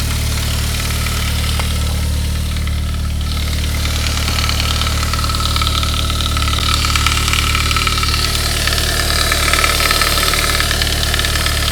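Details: 1999 Saab 9-3 turbo, 110,000 miles, just after a head gasket job, on a cold start. Fast light chattering rattle fading after a couple of minutes; lifters hard, oil pressure high. Fixed by replacing the upper timing chain guide.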